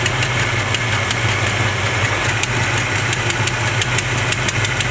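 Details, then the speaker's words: 1970 Chevrolet C20 V8 at idle after carburetor mixture screw adjustment: steady even low rumble with light regular valve ticking, no misfire; previous owner's tune likely off. "yeah it sounds definitely closer to normal now I guess it was just running Jack from previous owner"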